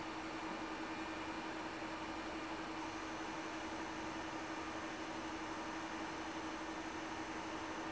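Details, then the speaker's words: Ender 3 Pro 3D printer after the Noctua fan upgrade, about 50 dB or roughly 10 dB quieter than stock, with the power supply now audible; low steady hiss, faint hum near 300 Hz and a thin whine; normal fan operation. "so now my fans are quiet enough i can hear the power supply this is a lot quieter than it was"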